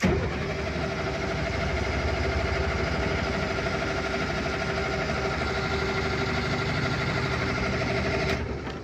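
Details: Large military diesel generator with new fuel lines and filters, during a crank before the injector lines are cracked: steady starter churn at about three turns a second for eight seconds with no firing. Fuel starved because the fuel shut-off solenoid is not getting power.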